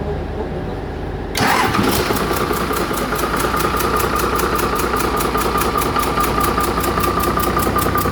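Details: Doosan excavator diesel engine started after overhaul: cranks and catches at once, then settles into a steady, even idle with a regular beat and no knocks or misses.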